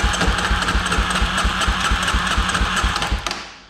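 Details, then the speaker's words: 2003 Polaris Predator 500 during compression testing (about 130 psi throttle closed, 145–150 open): slow rhythmic cranking with loud mechanical clatter on each compression stroke, two or three a second; owner suspects the starter drive makes the noise. "So I think the starter drive's the thing that's making all that noise."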